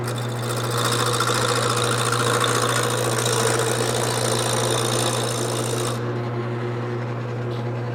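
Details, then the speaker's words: Wood lathe roughing a square blank mounted off-centre: steady motor hum under rasping gouge cut with rhythmic catch each turn, gouge bumping high spots on out-of-round blank. "this area isn't all right and that's because of how I put it on here it's just not it's not straight"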